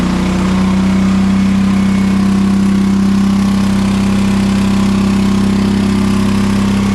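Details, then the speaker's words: John Deere 425 riding mower with Kawasaki engine that bogs down and dies under load: low, lumpy idle with little punch, running on one cylinder; fuel verified good, cause found to be a bad ignition coil. "so it still runs okay well runs anyway it does work but it bogs down you can hear it if you have a trained ear it just doesn't sound like it has any power"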